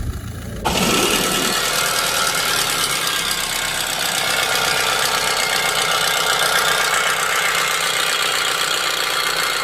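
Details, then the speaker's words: Audi engine catches and settles to a busy idle with a sharp, fairly steady knock about four times a second; an example of engine knocking. "So these next 3 videos are going to be 3 quick clips of an engine knocking, a bad PCV valve, and a bad timing chain."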